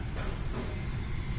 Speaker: you hear that better it's coming out of the nozzles here the old motor would have shut off by now so it's a good enough fix in my book